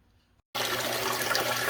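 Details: Frigidaire GLWS1749AS5 top-load washer after repairing squeaking upper transmission bearing with an O-ring quick fix: steady rush of water filling the tub, no squeal or knock; normal water fill.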